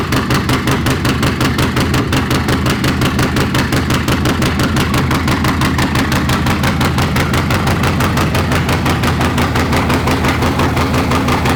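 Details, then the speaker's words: Bagger V-twin at steady even idle through a Two Brothers Racing chrome stainless exhaust, about three beats a second with deep uneven potato rhythm, no knocks; sounds good, though the pipe may not handle the bike's power and could be replaced. "We don't know if this pipe honestly is gonna handle what this bike should be putting out power-wise. So we might be looking into a different pipe, but for now, it sounds really good."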